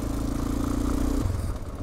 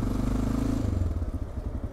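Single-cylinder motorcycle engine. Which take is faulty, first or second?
first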